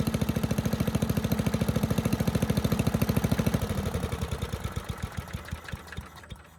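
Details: 1984 MTD air sweeper, flathead Briggs & Stratton 5 hp, first pull after a tightened spark plug wire: even, steady firing at full speed slowing smoothly to a regular idle, no knocks or misses; healthy, though high speed seemed slightly slow.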